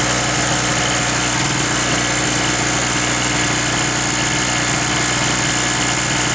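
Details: King Canada 950 W (800 W running) two-stroke 2 hp generator that had sat unused and would not start: steady, even buzz with constant beat, no misses or surging; idles smoothly.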